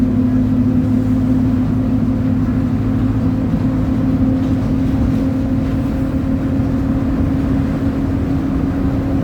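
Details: 2007 Torino bus on Mercedes-Benz OF 1722M diesel chassis, high revs at speed: steady loud drive roar with a constant low drone over it; differential roaring.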